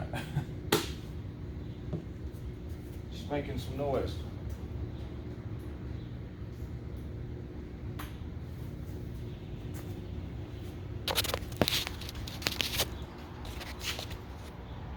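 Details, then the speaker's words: Two-stroke X2 jet ski engine, bench-started with a jumper on squirts of straight gas without oil: a steady, even drone with a few short blips, sounding healthy. "uh man that thing sounds healthy"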